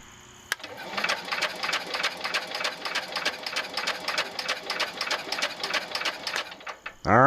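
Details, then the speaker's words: John Deere 110 garden tractor, newly fitted starter generator, spark plug removed, weak battery: even cranking at about four beats a second, no knocks or scraping; engine turns over freely, normal cranking. "right well that sounds good I don't hear any bad noises"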